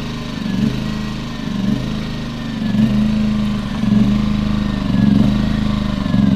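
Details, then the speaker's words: Champion 2000-watt 73536i generator with about 16-24 hours of use: engine at idle hunts up and down about once a second, a surging idle that also surged at higher rpm. Owner suspects a plugged carburetor idle jet and cleaned the carb. "at start when it was running in idle it would just surge and not run right"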